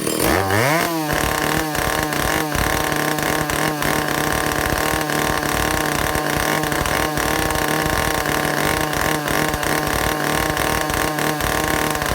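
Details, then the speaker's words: Vintage Stihl chainsaw two-stroke, test run after fixing air leaks and fuel system, no bar and chain, carburetor high needle 3/4 to one turn out, target top speed no more than 10,000 rpm: revs up quickly and holds a crisp, steady scream without sagging or four-stroking; running well. "Okay, I'm happy with that."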